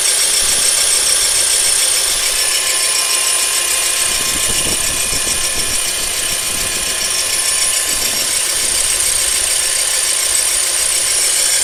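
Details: Honda Accord CL9 with K24A3 engine, while running: steady high-pitched rattling tick, roughly three to four a second, over a faint engine hum; owner suspects the belt or water pump, not confirmed.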